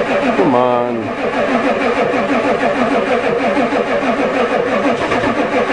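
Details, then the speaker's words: Ford diesel truck at +4°C with a newly fitted glow plug controller that never clicks, so it is suspected not working. Extended cranking on the two best batteries gives about three uneven starter beats a second, but the engine never catches; no start. "on come on well that was my two best batteries a no luck"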